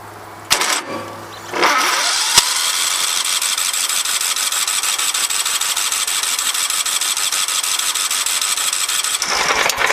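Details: 17.5HP Kohler engine, 347.7 hours, regularly maintained every 25 hours and previously repaired: starter turns the engine over evenly for about seven seconds but it never catches or fires; cranks but won't start.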